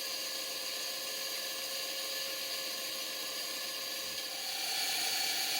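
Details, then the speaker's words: Model steam engine driving a geared generator, boiler about 25 psi wet low-pressure steam, after draining condensate from the condenser: quick even hissing exhaust chuffs two to three per second, no spitting; normal exhaust note. "But after draining the condensate from within the condenser, the engine's exhaust note is very different. Have a listen to it now."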